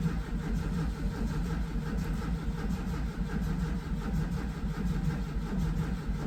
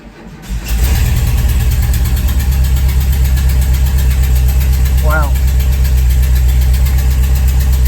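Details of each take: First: VW Vanagon with a newly fitted Bosch fuel pump wired backwards (no polarity markings): steady starter churning at roughly eighty turns a minute that never catches. No fuel delivery; it ran after the wires were swapped. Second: VW Vanagon after replacing failed fuel pump with a Bosch pump and swapping its power wires: engine catches within a second and settles into a steady, even low idle, normal start and running.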